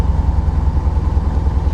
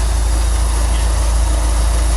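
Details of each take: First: Corvette just started on the second try in the 40s °F, usually needing three attempts: lumpy, uneven idle beat with occasional stumbles in the exhaust pulse; definitely a little misfire at idle. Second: Corvette idling in freezing cold on non-ethanol 91 octane fuel: steady, even low rumble with no misses, stumbles or knocks; running really good, just purring.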